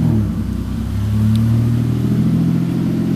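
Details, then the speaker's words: Warm engine on an untuned base map, coolant just refilled and up to temperature, car idling on a stand: idle drifts gently up and down rather than holding steady; hunting idle from the rough base map. "cars cars over there idling away she's hunting a little bit because she's still um you know she's still got a base map and it's nothing really all that flash"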